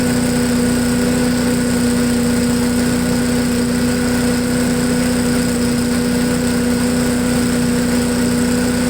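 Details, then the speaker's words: MTD push blower with Honda 5 HP single-cylinder engine, running again after sitting over two years, fresh gas; smooth, even idle with steady hum, no misses or knocks; normal idle. "well it runs like a honda it idles real well"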